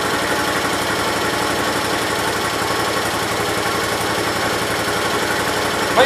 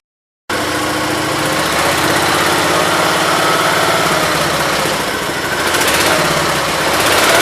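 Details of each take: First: 1968 Gravely 430 single-cylinder engine at idle just after motor reinstalled; extra oil put in rings so slight smoke expected; steady, even idle with regular firing beat, no knocks or misses; normal idle. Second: 1968 Gravely 430 small single-cylinder engine, just reinstalled: it holds a fast, steady high idle that never drops back, because the choke cable was routed behind the governor arm; high idle.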